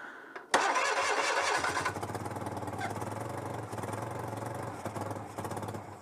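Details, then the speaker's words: Citroën 2CV AZLP6 flat-twin with newly fitted centrifugal clutch: starter whirrs briefly, engine catches and settles into fast uneven popping idle with open exhaust; normal start, runs fine. "bon bah écoutez ça a l'air de marcher parfaitement j'ai rien à dire"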